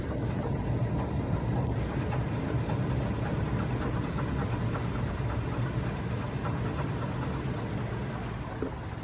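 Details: 2014 Toyota Tacoma TRD OffRoad, noise only at idle or slightly above, changes briefly with AC switching: low rough idle with an uneven clunking pulse; AC compressor clutch and coil had melted, and replacing them cured the noise.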